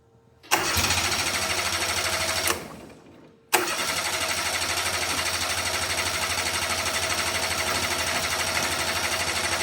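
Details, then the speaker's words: Steiner 230 with Kubota gas engine, after stalling (owner suspects air in fuel line): catches, dies after two seconds, then restarts and holds a steady, even run with no knock or miss; normal running. "Okay, so we're running. Not sure why it stopped on me other than just air in the fuel line."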